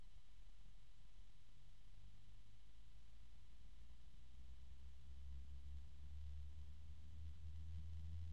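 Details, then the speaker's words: Cooljag Everflow FB14025SL fan (EBR bearing, 3-pin) in a frame whose superglue did not hold, mic right next to it: quiet start and a steady deep hum with a harmonic resonance, no rattle or ticking. Not too loud; the bearing sounds healthy. "not too terribly loud and that's just with the microphone right there next to it so don't worry about that you're not going to hear that much noise in your case"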